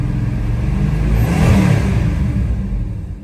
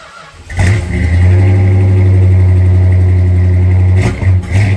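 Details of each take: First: 1968 Dodge Charger 383 big-block V8 after closing the overly wide points gap: swells through the revs and eases back with an even rumble, no cylinders dropping at higher rpm, though it seems to labour more at idle; improved running. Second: 1968 Dodge Charger original 383 big-block V8, cold start after sitting six weeks: cranks and catches, then lumps along at about four beats a second with stumbles and surges; rough running from points dwell and ignition timing being off.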